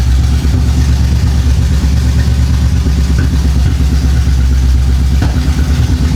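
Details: 1975 Chevy Monza 2+2 with 350 small-block V8 swap, sat about 20 years, after new distributor fitted: deep, lumpy idle holding on its own with steady rumble and brief throttle blips; normal idle and revving.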